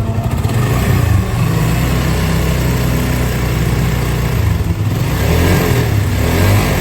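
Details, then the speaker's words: Honda CB150 single-cylinder bike idling and blipped: loud rough mechanical clatter; oil dripping from the water pump, whose aged oil seal leaks and drains oil, fix is replacing the water pump set; slipping clutch also reported. "nah Suaranya berisik olinya udah netes ya guys ya di bagian water pump-nya"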